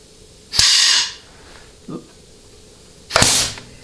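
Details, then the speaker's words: Ford C6 transmission, bench case air check at about 100 psi, intermediate band servo apply circuit; some hiss because the nozzle is too wide for the port. Sharp air bursts with a solid apply thump; the servo is very healthy. "okay it's obviously very healthy because when I'm put 100 PSI I mean it's it's blowing the hose right off the nozzle"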